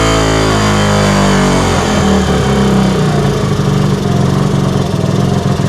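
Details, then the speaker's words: 1964 Honda C110 single, freshly reassembled, first start: revs rise and fall unevenly at idle instead of settling; carb slide not working properly, hanging up and causing random hunting idle. "So the slide isn't working because, as you can tell, it's going up and down in random idles, but we have something to work off of."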